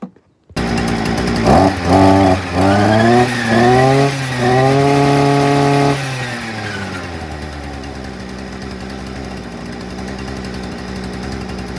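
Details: Hyundai two-stroke multi-tool/brushcutter, previously bogging and not revving past idle, after a quarter-turn out of the carburettor mixture screw: blips up in quick bursts, holds a clean high scream, settles to steady idle — normal running.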